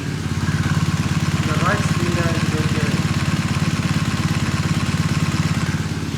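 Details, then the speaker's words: 2020 BMW R1250R boxer, warm, microphone close to the engine, original early (17mm) timing chain tensioner: light, fast, even ticking over the idle, only on the left cylinder; the owner considers it a normal trait of pre-2023 engines. "You can sort of hear that ticking sound there, and that's only on the left cylinder."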